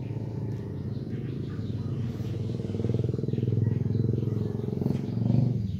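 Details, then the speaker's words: Petrol car engine idling roughly and unevenly (misfiring) because a spark plug leaks, with smoke escaping past the plug; leaking plugs show black and yellow deposits. "bocor lewat sini ya sini Yo Pak masukin lagi kalian produk percaya ini bocor"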